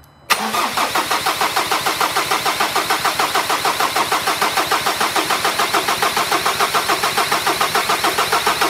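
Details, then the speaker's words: 2013 Ford Ranger 2.2 TDCi, newly fitted recon (reconditioned) engine with all four injectors unplugged: even starter churn at about three and a half beats per second with no firing, cranking to build oil pressure before first start. "all four of those injectors unplugged and chris is just gonna try and build up a bit of oil pressure way"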